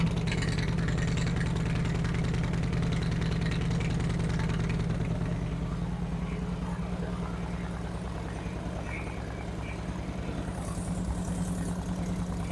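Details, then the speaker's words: 2008 Harley-Davidson Street Glide with Screamin' Eagle 255 cams, after the pushrod was readjusted: steady, loping low idle with an even beat and no ticking or clatter, and faster, crisper rev-ups; normal idle. "They're a lot faster, crisper this time, so no noises, no abnormal noises now."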